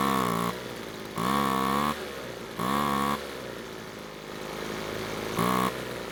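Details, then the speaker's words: Two-stroke leaf blower that started but wouldn't stay running, idling on its newly fitted replacement carb during carb adjustment: buzzy idle with short revs that drop back, idle dragging low between blips; idle speed sagging, cause not confirmed. "So in the middle of adjusting the carb, something odd was happening. It seemed like the engine was slowing down while at idle, which is not normal."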